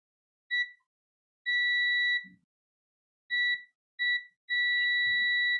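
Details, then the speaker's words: Multimeter continuity test of tactile buttons for a defective 200 g mini scale: five clean high beeps, each sounding while the button is pressed; continuity confirmed, all five switches working. "Yep, this one is working."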